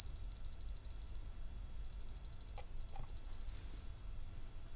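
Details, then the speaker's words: Meta SR2C reverse parking sensor with sensitivity turned down on its trimmer, tested indoors in a small office: sharp high beeps in uneven bursts, quieter but still warning without an obstacle; it seems to work but dislikes the confined space. "Still pretty angry. Oh, that's better. Much quieter though. Yeah. Still a bit beep."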